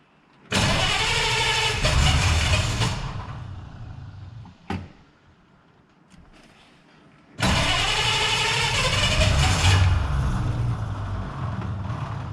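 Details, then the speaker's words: 1933 Hudson Terraplane old six: catches quickly and settles into an even, quiet idle with a soft regular beat; no tick or rattle, only the fan belt audible. "beautiful it's just there's not a a tick a rattle or anything I think you can just hear the fan belt going around"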